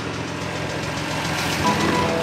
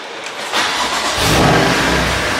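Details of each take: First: BMW M2 Competition salvage rebuild, idling with no coolant in system: light quick ticking from the top end over engine note; MMI reads oil level okay, cause not confirmed. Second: Crash-rebuilt BMW M2 Competition, first start after rebuild with oil cooler lines plumbed in; starter whirrs, engine catches and flares, then settles to a quiet even idle with no knocks or leaks.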